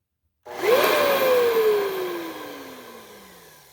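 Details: Hoover Encore U4595 vacuum, long stored in a basement, first short test run during refurbishment with the machine wood-blocked and a paper towel at the outlet: the motor whines up quickly, then coasts down smoothly with no grinding or rattle; it works and sounds good.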